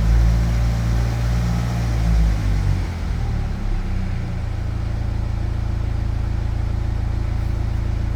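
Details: 2009 BMW E92 320d, N47 diesel: revs then drops to a steady low idle with a faint uneven rattle under the drone; rattles on acceleration, cause unknown.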